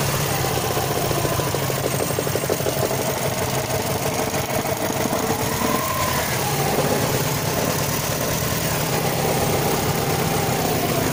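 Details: Subaru Forester SF5 EJ205: steady idle with a fast, regular tapping knock under the engine note, source not pinned down; engine knock.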